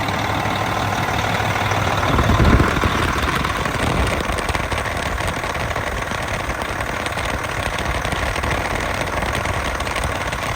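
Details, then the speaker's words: Diesel engine just after installing a custom-fabricated belt tensioner, now tensioning downward, before warm-up: steady even clatter at idle with no belt squeal, slap or chirp; normal idle. "Well, as of right now, it looks like everything is working perfect."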